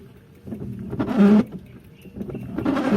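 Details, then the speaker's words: Worn five- or ten-year-old Bosch wiper blades on a Mitsubishi Adventure chatter with a loud juddering squawk each stroke, even with water sprayed and blades swapped left to right; blades need replacement. "it's been like i think five or ten year old wiper and it's kind of noisy so we're gonna do a little sound check"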